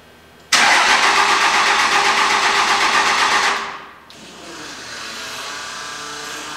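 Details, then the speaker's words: Old 4-cylinder Cummins diesel flatbed truck, fresh batteries; harsh fast-pulsing starter whir keeps going after the engine catches, fading into rough run-on; owner suspects starter contacts sticking after sitting, plans to pull the starter. "that was an odd one i've never had that happen i think what's happened i think it's set for long enough i think the contacts and the starter are sticking so i think i'll have to pull that starter off"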